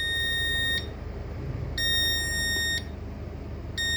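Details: Demco fire alarm panel on ship KM Sabuk Nusantara 92, after power was switched off: steady shrill beep, one second on, one off, repeating evenly; panel shows fault "missing battery", backup battery not detected.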